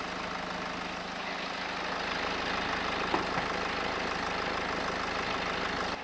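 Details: BMW E91 LCI diesel, used replacement engine with new timing chains; steady even idle clatter with faint cabin fan hum (AC lowest, heat max), no knocks or misses; engine runs well, normal diesel idle.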